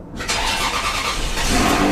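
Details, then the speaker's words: Ferrari 360 cold start after cleaning both MAF sensors to fix cold-start problems; starter whirs briefly, engine catches cleanly and settles into steady even fast idle without stumbling. "wow that's actually way better that started with a decent decent revs amazingly"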